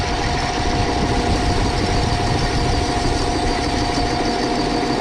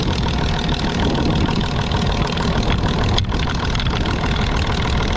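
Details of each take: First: Overhauled Gaso 3211 pump running without oil, bearings sprayed with Micro Mist spray oil, checking for heat: steady, even mid-pitch whirr with no knocks or tightening. Pump turns completely free. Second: Gaso 3211 injection pump running after overhaul and oil change: rough, uneven clatter from slamming valves with a dull rod-knock-like knock at about 3-4 per second. Owner suspects a loose crosshead; not confirmed.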